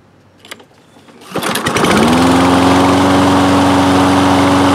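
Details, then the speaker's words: Toro Recycler mower, Kohler engine, after fitting the main jet from an aftermarket carburettor into the cleaned original carburettor: pull start catches within a second, holds one even steady pitch, no surging or hunting as before. "yeah so that feels pretty good sounds sounds much more smooth that's not surging or hunting as it was before"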